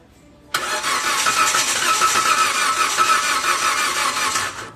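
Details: Toyota Avanza 2015 cranks but won't start even with new spark plugs and ignition coil wiring checked okay; starter spins steadily and quickly for about four seconds, engine never catches; cause traced to a dirty camshaft position sensor.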